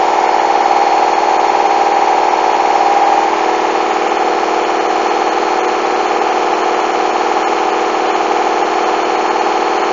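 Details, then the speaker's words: Hoover washing machine, coloureds 40°C bedding load, final spin speeding up toward 1400 rpm: steady high hum with a rhythmic thump around twice a second, machine shaking dangerously; very unbalanced load. "Whoa! That is dangerous! Look at that! Listen to that! It's shaking!"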